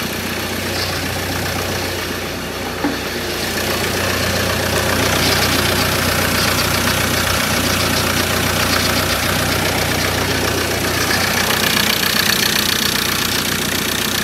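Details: 2013 Ford Ranger 2.2 TDCi, first start of newly fitted recon engine after cranking to build oil pressure: steady diesel idle with light quick ticking expected to fade as oil reaches the top end; healthy, no leaks.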